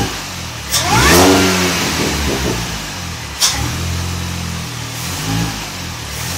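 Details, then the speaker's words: 2006 Mini Cooper S with 17% supercharger pulley, 2.5-inch exhaust, K&N hot air intake: sharp revs with a thin whine rising and falling with engine speed over raspy exhaust, normal supercharger whine. "I'll try and post the camera up, see if you could hear the whine a little bit better."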